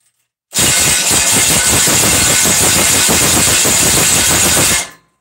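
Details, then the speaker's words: Rebuilt 327 V8, first start of 2019: strong, steady cranking that catches and runs evenly, much better than when setting the valves. "sounds a lot better than when I was trying to set the valves and actually turned over so good"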